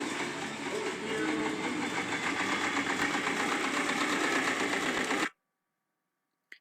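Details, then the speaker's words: Subaru Forester engine after a general overhaul that did not cure the fault; fast, busy ticking clatter about four per second with an uneven edge, then stops; rough running, VVT valve fault suspected, cause unconfirmed. "el sonido que acaba de escuchar No es un sonido de un motor que está para reparar es el sonido de un motor reparado una reparación general que se hizo este vehículo y no se dio con la falla"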